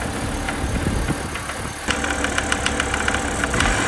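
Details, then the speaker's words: BMW E90 330xi at idle: sharp, uneven metallic raps and rattles over the idle, getting louder partway through; not accessory drive; internal engine damage, engine judged toast. "He's really not happy now. I think this thing's toast."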